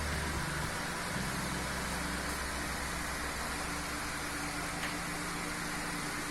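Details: Chinese floor fan after repair, reassembled, a fan that had hummed but would not turn: steady airy rush over a constant low motor hum, no knocking, scraping or wobble; fan runs smoothly, oscillation does not work.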